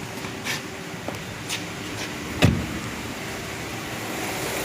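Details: 2023 Duster 1.3 direct-injection turbo petrol with 44,000 km, idling smoothly with a steady, even hum and no ticking after the noisy high-pressure fuel pump was replaced.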